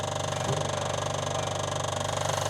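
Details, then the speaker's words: Morris Minor with ignition on before start, after fixing reversed coil polarity and correct BP5ES plugs: rapid even loud clicking from electric fuel pump priming, louder than it should be; cause unclear. "Yeah, the car has been running before, and apparently the customer had issues with it. Oh, that fuel pump's loud."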